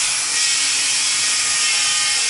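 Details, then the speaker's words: Dremel rotary tool, about 20–25 years old, used to clean corrosion off a water-damaged Galaxy S3 motherboard: loud, high-pitched constant whir with a harsh rasping edge; the tool runs rough, cause unknown. "You can hear my Dremel tool is sounding a little sick. This thing is probably over 20 years old, 25 years old. It's seen better days, but it still gets the job done. Sorry for that horrendous sound."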